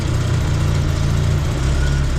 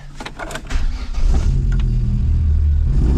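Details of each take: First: A-reg Vauxhall Nova 1.6 injection that had run badly, after fitting a different replacement sensor: even, steady low idle without stumbles or misses; normal idle, running cleaner. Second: A-reg Vauxhall Nova 1.6 injection catches and holds a fast idle but stumbles with uneven dips every second or so, misfiring perpetually; injector number two later suspected. Engine misfire.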